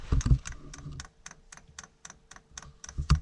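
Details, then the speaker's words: Espar diesel heater installed in a Sprinter van with driver's-side exhaust, first start attempt: the fan spins up, then the fuel dosing pump clicks in crisp, even ticks about four a second while purging air. This is normal priming. "okay the Fan's turning over and now we're going to wait for that fuel pump to start clicking"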